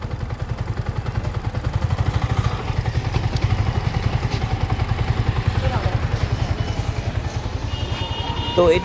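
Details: Yamaha R15 version 4 motorcycle after engine work; even, regular exhaust pulses about two or three per second with no ticking or rattle, normal idle.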